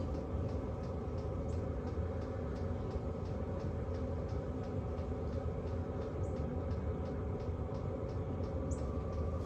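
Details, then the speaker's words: Hcalory Toolbox Heater Version 2 diesel heater running inside a tent; soft steady hum with light regular fuel pump ticking, two or three per second, damped by a rubber grommet around the pump; normal and not too loud. "You still can hear some slight ticking from that pump, but it's not too loud. I don't think it would bother me at all."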